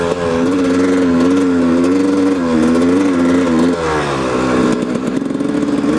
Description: 1997 yz250 making weird noises in 1st and second gear, i have a fmf fatty pipe on there also.